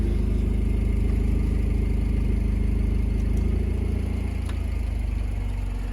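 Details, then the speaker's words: Cheap project Honda Civic on a cold day: deep loud even exhaust burble at a slow idle sagging lower near the end; idle sits too low for unknown reason; catalytic converter fitted. "Yeah, it starts idling really low for some reason. It sounds like it has some type of exhaust."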